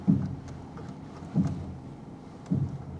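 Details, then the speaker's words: Repossessed Copart vehicle with an automatic that is slow to engage forward, while moving: three dull low thumps about one a second from the passenger front; suspension work is suspected but not confirmed. "There's something going on the passenger front there. That ain't good. That ain't good at all. She's got some miles on her. You know, she probably needs a little bit of suspension work for sure."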